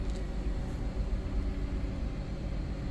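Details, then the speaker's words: Dodge Promaster 1500 van engine starts right up and idles with a steady, even low rumble, no knocks or squeals, after replacing the faulty electronic shifter module (ESM) and clearing codes; normal running. "Start right up. Now it's running."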